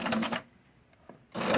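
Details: Long-unused domestic sewing machine stitches in two short bursts with a harsh rattle, as if something is moving; bobbin trouble noted, before cleaning and oiling, cause not yet pinned down.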